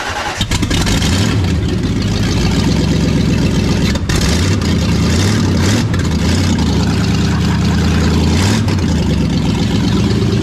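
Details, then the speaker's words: First start of a brand-new engine in project car Two-Tone: it fired almost instantly without cranking, then gave a loud, crisp, uneven idle through open pipes with a few clean throttle blips and no knocks or ticks. Normal start and idle. "Was that the best first fire? It had to be. I mean, it didn't even sit. Like it didn't even crank."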